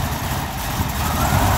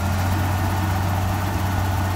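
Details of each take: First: BMW V12 on a cold start: deep, uneven, lumpy idle with wavering rumble, backfires, sputters and stumbles; smooths out once warm; intake manifold and valve cover gasket leaks suspected, not confirmed. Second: BMW V12 warmed up at idle after a cold start: deep, even hum with no misses or knocks; runs very well, intake manifold gaskets apparently sealed; engine steams, owner considers a head gasket pressure test.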